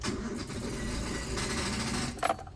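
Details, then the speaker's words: Daihatsu Terios 2012, car worked the day before and now won't start: key turned, starter gives rapid tick-tick chatter instead of cranking; weak battery, old and suspected swollen. "Jadi bunyi tak tak tak tak tak tak tak itu, jadi dia nggak kuat ngangkat akinya. Karena nggak kuat ngangkat, kita berarti akinya dia habis."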